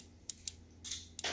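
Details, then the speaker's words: GE microwave not heating, diagnosed by current draw as a faulty door sense switch whose button stayed recessed and didn't click. The newly installed switch now gives crisp, sharp clicks when its cam is pressed, working properly. "okay so I've got the new switch in and you can hear I'm pressing the cam here now it's actually clicking whereas before it wasn't"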